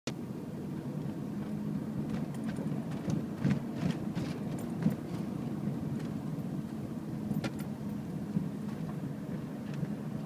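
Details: 2006 2nd-gen Toyota Prius, about 180K miles. The petrol engine runs rough and lumpy with irregular sharp knocks about 30 seconds after starting when the car has sat; owner hopes a valve adjustment will fix it, cause unconfirmed.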